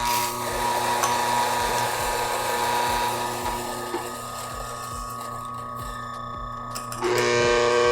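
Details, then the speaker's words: Bentwood Vertical 63 coffee grinder grinding a 13 g dose at 650 microns: steady high motor hum with a buzzing ring on top; resonance from a loose side panel, not a motor fault; not how it sounds from the factory. "It's like resonance, right? It's not the motor. It's not broken because there, that's what it's supposed to sound like. But because the panel is loose here, that's why it sounds like that."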